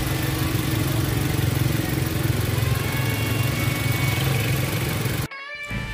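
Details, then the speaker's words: Toyota Avanza Veloz 1.3 dual VVT-i engine at idle: a steady, even, smooth hum with no ticking or tensioner noise, heard partly under background music; the engine sounds healthy. "Itu tadi dia ya untuk sekilas dari suara mesin Avanza Veloz 1.3 nya. Terdengar halus ya, tidak ada juga bunyi aneh-aneh di tensionernya mesin tersebut."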